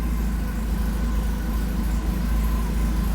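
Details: 1984 Porsche 944 at idle after wiring repair: steady low idle with a faint, uneven puffing tick, roughly two per second; sounds like leaking exhaust joints at idle.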